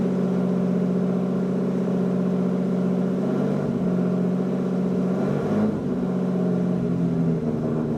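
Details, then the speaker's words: Lamborghini Diablo VT V12, a garage find, started with the clutch in and kicked right over: a deep, even idle burble with a brief blip of revs around five seconds, steady and smooth; healthy running. "holy moly that kicked right over that sounds awesome"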